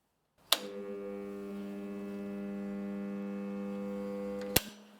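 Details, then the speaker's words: Old bench grinder, wheels turn by hand with drag: when powered, a loud steady mains hum for four seconds but the motor never spins up; bearings too stiff, owner suspects worn-out bearings, later replaced: stalled motor hum. "जैसा कि आप देख सकते हैं, मोटर को शुरू करने की अनुमति देने के लिए वे बीयरिंग थोड़े बहुत कठोर हैं"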